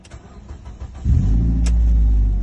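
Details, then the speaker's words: Ford Focus MK2 with previous no-start and no-display complaint, after LCD unit was replaced and reinstalled: faint clicks, then engine catches at once and settles into smooth steady running; clean healthy start. "Ayan, nag-start na siya. Ayan, start na siya."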